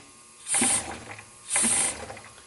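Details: Methanol injection kit with a Snow Performance controller on a Hyundai Genesis Coupe drift car, controller in boost mode with the start point lowered fully, air blown in to test. Two short, clean, even hissing bursts about a second apart; the pump is priming properly.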